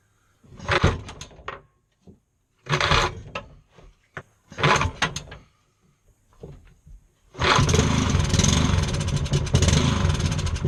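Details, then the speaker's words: Scrapped lawnmower engine on a bench stand, first run after repair: after several pull-start tries it fires, speed rising and falling unevenly with throttle linkage jumping back and forth; hunting, cause unclear. "Right, quick pit stop because it was sounded dreadful. But, I mean, it was running, but it just sounded dreadful. So, what I noticed while it was running was this: the throttle linkage was jumping back and forward."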